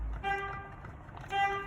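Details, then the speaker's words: Freightliner truck, steering wheel switch plug and wiring reconnected before refitting the wheel: two short clean multi-note blasts, horn working; the switch part was the cause of the cruise control fault. "can hear the horn. So the problem was in there."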